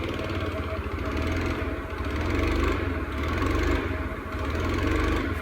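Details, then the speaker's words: Honda Scoopy carburetor scooter after carb cleaning: uneven putter swelling and sagging, revs won't rise; bogs and will not rev, later traced to a sheared flywheel key. "Dan tetap saja motor pun masih tidak bisa digas. RPM-nya tidak mau naik."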